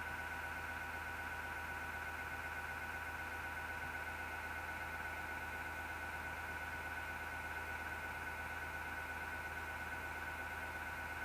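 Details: Grinding PC power supply fan in MSGW Plutos PC: steady raspy whirring with high ringing tone and low hum, vibration felt; grinding began December 2015.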